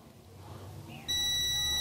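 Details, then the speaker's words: Chevrolet LUV D-Max (Isuzu) with a freshly rebuilt 3.5 L engine, service light on, no acceleration and no power. A continuity test on the TPS wiring gives a steady meter beep that cuts out within a second: intermittent continuity from a broken wire at a junction. "vamos a ver hay un cable partido señor"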